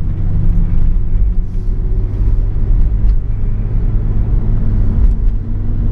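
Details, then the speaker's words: Oldsmobile Bravada while accelerating and cruising, check engine light on: steady low droning hum under road rumble, sometimes worse after driving a while; driveline hum, cause unconfirmed. "I mean overall it drives pretty good it has a little bit of a hum I'm gonna see if you can hear it or not we're gonna find out once I actually start speeding up here"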